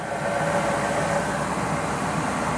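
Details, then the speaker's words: 2000 Ford Excursion XLT 4WD, 6.8 L V10 new Ford crate engine (about 15k miles, 141k on body), cold air intake, hood open: quiet, even, very smooth idle with no ticks, knocks or stumbles, no smoke; normal idle. "So super nice 6.8 liter V10. Very healthy sounding idle, very quiet."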